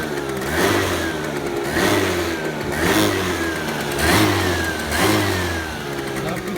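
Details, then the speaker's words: Scooter with intermittent stutter (owner suspected the carburetor needle clip), revved on its stand with no load: throttle blipped about once a second, each rev climbs and falls cleanly; no stutter on the stand. "Ah oui, aussi, sur béquille, regardez."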